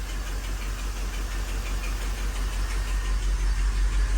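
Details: 1985 Mercedes 500SEC V8, warmed up, idling in Drive; deep idle stumbles with a regular lope about three beats a second. Misfire appears after warm-up when idle drops, spark plugs being replaced first.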